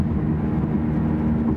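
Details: Dodge Dart at a constant 55 mph: steady low droning hum that holds in pitch and grows louder when swerving loads the right side. Worn wheel bearing suspected on the right, front or rear not yet confirmed; rear bearing/hub later replaced.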